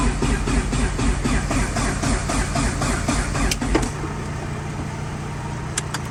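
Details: Rebuilt Dodge Neon ACR engine on jumper cables: even cranking about four compression beats a second for four seconds, no firing; turns over freely.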